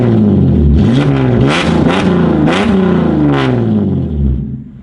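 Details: Holden Commodore SV6, already de-catted, with the rear mufflers removed: loud, raspy revs with sharp crackles and pops on downshifting and as the throttle shuts.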